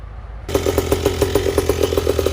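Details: Small two-stroke petrol stand-up scooter after carburetor tuning; revving with an uneven, pulsing beat and irregular firing gaps, stumbling at high rpm; mixture still not right, tuning reached its limit.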